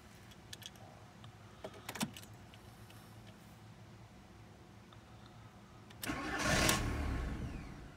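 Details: 2002 VW Jetta TDI diesel no-start: a few clicks and key noises, then a brief burst of cranking that never catches. Immobilizer light not flashing and code intermittent; owner suspects wiring, ECM, cluster or immobilizer fault, unconfirmed.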